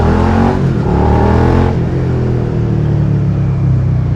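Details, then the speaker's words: Suzuki SV650 twin just after reinstalling the catalytic converter: noticeably quieter and bassier than the scattered sound without it, performance unchanged. Deep, muted rumble rising under throttle then settling, smooth and not harsh; normal exhaust note. "Yun, so mas tahimik na. Noticeable na mas tahimik na siya. Tapos yun nga, mas mabango na yung tambucho. Tsaka mas bassy siya."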